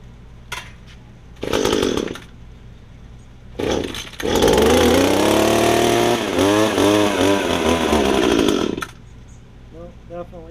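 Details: Estate-sale Echo two-stroke hedge trimmer, before its Walbro carburetor rebuild, with brittle fuel lines; good compression: short cranks, then a rough run that surges and sags before dying; poor running, owner thinks it needs carb cleaning.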